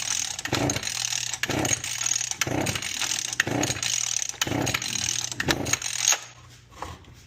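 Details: Mantis tiller/cultivator, unused for a couple of years, on workbench: about six recoil pulls, roughly one a second, with no firing; carburetor fuel problem suspected.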